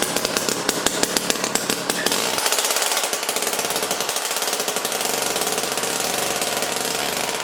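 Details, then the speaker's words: Jiffy Stealth STX 10-inch ice auger, 3 hp Tecumseh two-stroke, after fresh 91 non-ethanol fuel, started on choke: rapid crisp stream of sharp popping exhaust beats at high revs, loud but steady; running good. "all right so the jiffy here is running good i mean we put fresh fuel in it and then it was popping off and definitely very loud"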